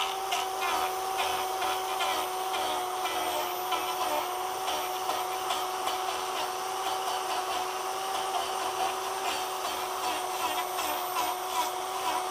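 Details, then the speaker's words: Electric chainsaw conversion wood-carving power gouge cutting moist wood: steady high-pitched roar with rough scraping as blades drag; blades getting duller and louder, more surface dragging on wood. "The tool itself, the blades, the blades are getting duller. They're getting louder. As they get duller, they're going to make more noise because it's more surface area dragging on the wood."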